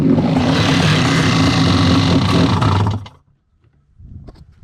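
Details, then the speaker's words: SXR800 jet ski with PJS engine in a Bullett racing hull, after exploded drive shaft repair with custom shims: steady, even two-stroke roar for three seconds, then shut off. Little rattle, running acceptably. "So, not sure how much it'll really shake once it gets going, but it's at least somewhat reasonable right now."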